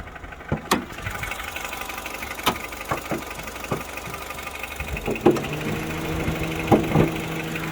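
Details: Korean-market 8th-generation Honda Civic FD2 with K20Z2 petrol engine at idle: sharp, irregular ticks above a steady hum; owner could not find where the noise comes from.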